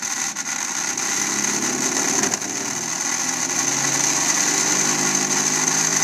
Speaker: okay so our furnace is making some pretty strange noise uh this little engine here seems to have something that is not quite centered and uh creat some uh vibration uh therefore lots of noise